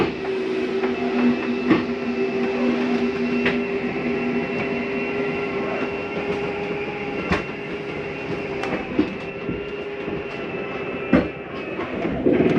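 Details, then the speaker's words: 2019 Grand Design Reflection 315RLTS retracting a slide-out: steady droning motor hum with light clicks and creaks, plus a noise as it reaches full in, which is the slide mechanism stopping itself, not gears grinding; normal. "Now as the slide gets all the way in, you'll hear a little noise. It's okay to hear that. Nothing's grinding. That's the slide mechanism telling itself not to come in any further."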